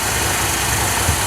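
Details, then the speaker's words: Ford F100 with 300 (4.9L) inline six after fitting Chevy-style HEI distributor and resetting ignition timing from marked TDC: steady idle with even beat, no stumbling or popping; runs well, belts need tightening. "we got it it's running pretty good other than the belts to be tightened up good response"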